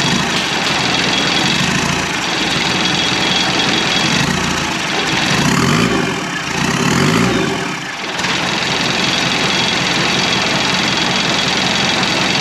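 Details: 1991 Land Rover Defender 90 with Turner Engineering remanufactured 200 TDI diesel, first start after fuel bled through: churns on the starter, catches and settles into a steady clattery idle; healthy start.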